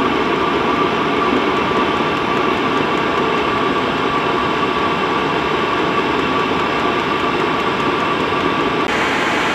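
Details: Cheap Chinese diesel night heater from eBay running at full capacity: steady roaring burn with a constant fan whine, even and without sputter or misfire. Normal diesel heater operation at full output.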